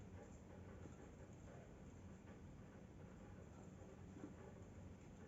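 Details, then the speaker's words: Sony TC-560 tape deck DC motor after remounting and tightening its screws one by one to cure a grinding noise: low steady even whir with faint trace of roughness, nearly silent, much better than before; normal motor run. "but nearly nothing definitely it's much better than before"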